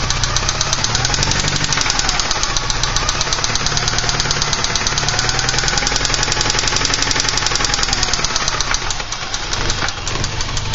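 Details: 1986 Porsche 944 Turbo at idle: loud fast, even ticking knock riding on the engine note; owner unsure whether lifter noise or rod knock, cause unconfirmed.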